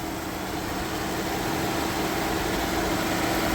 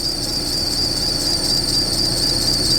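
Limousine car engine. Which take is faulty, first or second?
second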